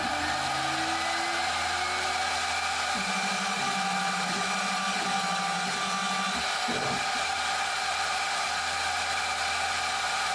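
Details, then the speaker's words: DMC2 Mini mill cutting with a 6 mm end mill at 1 mm step over, in 6061 aluminum or cold rolled steel: high spindle whine sags and drops pitch as the cut loads up; spindle bogging near its practical load limit. "Towards the end here, cutting with a 6mm tool at 1mm step over sounds like about the most you'd want to push the spindle, since it's audibly starting to bog down."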